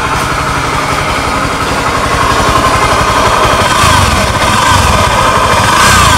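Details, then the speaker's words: Honda Scoopy ESP scooter engine running with CVT removed and gearbox separated: persistent humming drone remains and grows with fast revs, traced to worn crankshaft bearing; engine to be opened. "teman-teman jelas setelah bagian CPT dilepas ini suaranya masih tetap tidak hilang berarti jelas permasalahannya berasal dari putaran lahar kerk as putaran lahar tersebut sudah menciptakan sebuah suara begitu mendapatkan putaran cepat"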